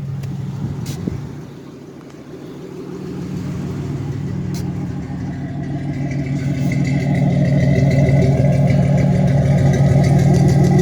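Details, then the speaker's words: 1987 Chevy Celebrity Eurosport, warm idle around 800–900 rpm, charging and temperature good; steady even low rumble, smooth exhaust note, no knocks or misses. Owner notes it cuts out at half/full throttle, cause not yet found; normal idle. "Idling at around 800, 900 RPM. Charging great. Temperature's good."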